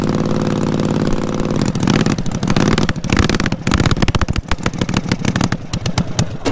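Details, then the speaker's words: Twin-cylinder racing mower with rebuilt carbs, synced, at idle: uneven stumbling, missing start that steadies into rapid regular firing; one cylinder seems to hesitate, owners suspect spark or warm-up hesitation. "it sounds like it hesitated off of one cylinder right off the get-go it seems like this one was stopped yeah a little bit"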